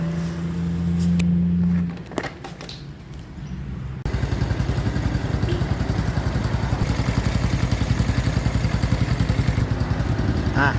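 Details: Honda Wave 110i after engine rebuild (rebored, new piston, rings, valves, cam chain and tensioner roller): small engine idles evenly and smoothly with no top-end ticking or rattle.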